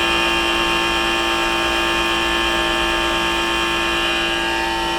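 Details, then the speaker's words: Trane 3D Scroll compressor in a five-year-old rooftop pool dehumidifier, heard about 12 feet away: harsh, steady metallic drone with high ringing tones and a faint rough beat. The compressor has become noisy from wear, exact cause unknown. "it sounds like it's about as loud as a Goodman unit a Goodman residential even though this is like three times as large capacity as your Goodman residential unit"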